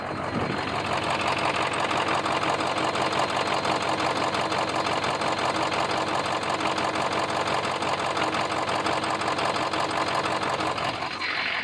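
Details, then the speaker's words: 6.0 diesel truck with code P0269 (likely a bad injector or damaged harness) and an audible miss. A quick, steady clicking at about 170 a minute is heard over the idle on one side only. Owner wonders about a bad piston; no smoke; cause unconfirmed. "if you heard that, it sounds like a a clicking, whereas over here, you don't have that."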